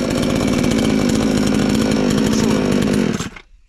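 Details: Chinese counterfeit chainsaw sold as a Stihl (MS 461), newly assembled and first start attempt: loud, steady two-stroke buzz holding an even pitch for three seconds, then cuts off cleanly; starts and runs normally.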